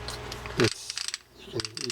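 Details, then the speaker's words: Penn Warfare 30 LW fishing reel, something stuck inside, not yet opened: faint dry clicks and a short harsh rasp as the reel turns, catching and binding instead of spinning freely. "here's a pen warfare i think yeah the warfare 30 lw not my favorite reel in the pen line and something stuck with this one"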